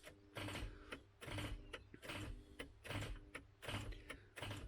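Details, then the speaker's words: MK3 Ford Cortina with seized Kent engine, starter engaged to try to shock the flywheel free: repeated surging clack-whirr bursts a bit under once a second; solenoid likely cutting in and out as current shorts. "s as the current shorts out the solenoid drops in and out you get that pulsing effect"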